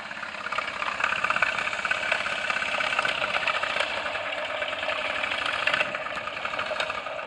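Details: Honda Zoomer (Ruckus) 49.9cc scooter at idle gives fast, sharp metallic ticking knock; owner was told big end, and since the stock exhaust was refitted it lost power and stalled, and holding the crankshaft can stop it at idle. Cause unconfirmed.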